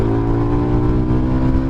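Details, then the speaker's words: SBM250s motorcycle, heard while riding with visor open: smooth, low, muffled exhaust drone at steady throttle without shifting, no knocks or rattles; normal exhaust note. "E essa aqui não faz barulho, só que o sonzinho dela é muito gostoso, velho. Eu vou abrir a viseira pra vocês tentarem escutar. O sonzinho dela é muito bom, cara."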